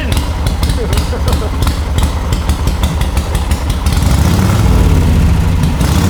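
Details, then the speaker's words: Warm, ridden 1939 Harley-Davidson EL Knucklehead V-twin, about 12–14,000 miles since restoration: slow loping thump about three beats a second from the pipes, no clatter or ticking; idling nicely. "so the thing about a motorcycle one that's styled and tuned in doesn't make a lot of noise now you hear the pipes"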